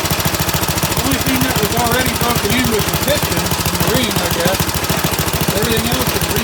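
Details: Rebuilt Briggs & Stratton 135212 5 HP flathead single-cylinder go-kart engine, previously seized valves and broken tappet, air cleaner fitted, started on choke: quick, even pops at steady speed, no knocks or misses; normal running after rebuild.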